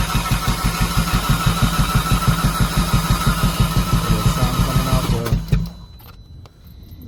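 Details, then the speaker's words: 2011 Audi A4 2.0T crank no start with about 30 psi compression on all four cylinders: steady starter churn about three beats a second for five seconds, hollow, no catch; gasoline smell in oil, cause unconfirmed. "Sounds hollow. Yeah, doesn't look like it's gonna work."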